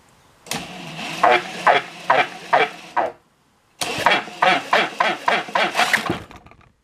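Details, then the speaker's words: Clinton B700 small engine with spark, during carb clean: harsh scraping bursts, two or three a second with each pull of the recoil cord, as the loose starter cup rubs; it wasn't doing that before. "What was that horrendous noise? Oh. The cup is coming off."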